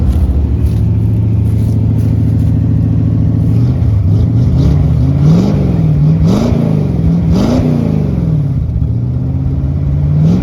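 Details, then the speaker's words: 1968 Ford Torino GT V8 muscle car, inspected for purchase: fires and settles into a steady low burble, rising and falling cleanly through several throttle blips; runs strong and even, normal running. "that sounds good it must have probably Pi up gas must have that sounds pretty good"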